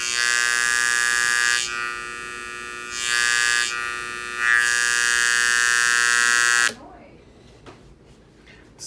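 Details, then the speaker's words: KRK Rokit 6 studio monitor: loud steady buzz with harsh, raspy edge from the tweeter only, nothing from the subwoofer, started a few days ago; failed power-supply capacitors (1000uF 35V), fixed by replacing both. "so it's mainly coming from the tweeter there's nothing on the subwoofer"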